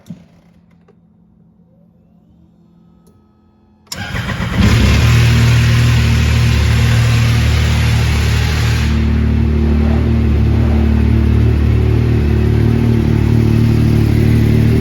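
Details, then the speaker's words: 2020 Yamaha YXZ-1000R first start after oil change and Jagged S Customs oversize oil tank install: loud busy idle with clattery top end, valvetrain running dry while oil primes, lasting longer than usual. "okay so i heard that it sounded terrible for longer than normal but it's"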